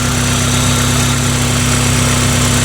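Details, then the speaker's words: 2003 Pontiac Vibe GT with 2ZZ-GE engine and cold air intake, idling after exhaust leak repairs with a Celica GTS header fitted: smooth, even idle with a steady low hum and soft intake hiss, no puffing or ticking; now quiet and normal. "but as you can see it still seems like it's perfectly quiet no big deal we quieted down the back end quite a bit"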